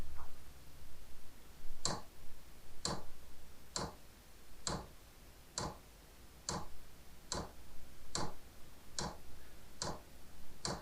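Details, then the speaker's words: Diesel heater powered by a converted computer ATX power supply, startup: fuel pump ticking evenly about once a second as pump and fan come on, glow plug drawing about 10–11 A, 140 watts; normal fuel pump ticking. "So, the pump is on and the fan has turned on. We're at 140 watts."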